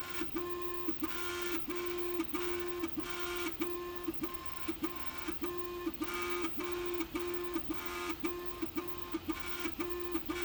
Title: Loud noises Prusa Mk3S+